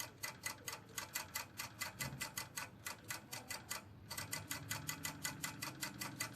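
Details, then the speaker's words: Automatic voltage stabilizer with a dead voltage needle, after replacing the fuse: fast, even dry ticking, several per second, no hum, from the servo motor's carbon brush chattering against the transformer coil; suspected dirty brush, later cleaned. "this is the sound of servo motor charcoal against the transformer cable coil"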